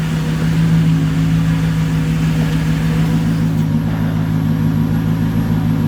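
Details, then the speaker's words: Manual-swapped six-speed Mercedes C55 AMG at 160,000 miles, first start on a newly fitted fuel pump: smooth even idle with a steady whir from the pump at the rear, fuel pressure good but needle fluctuates slightly; normal idle. "Pump sounds okay back here, nice and steady whir. That's good."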